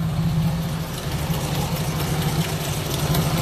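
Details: Daihatsu Charade with hard starting that would not draw fuel: after a temporary fuel bypass and touching up the distributor connection, it settles into a steady, even low idle with a smooth beat and no knocks or misses; normal idle.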